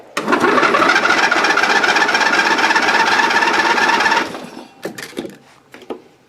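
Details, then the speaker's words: Dynamark riding mower after carburetor cleaning, new gasket, and fresh gas: small engine fires and buzzes unevenly for about four seconds, then cuts out and coughs to a stop; runs rough, then stalls. "yeah still not well perfect I was worried there for a second but looks like it runs fires up"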